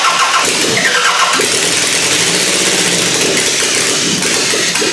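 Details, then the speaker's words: Car fitted with a new GM distributor (owner says firing order and timing are right) cranks, catches and crackles unevenly, with sharp pops spitting back through the carb. The spitback is intake backfire from ignition timing set too late, and the owner is rotating the distributor to correct it. "If it's coming through the intake, that means it's going too late."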